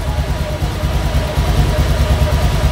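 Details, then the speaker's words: Honda Vario scooter that sputtered intermittently, now idling after its fuel pump was replaced with an MST unit. Low, steady putter with an even pump hum and no stumbling; it runs well. "Tuh teman-teman, suaranya juga enak ya, dengungannya juga pas."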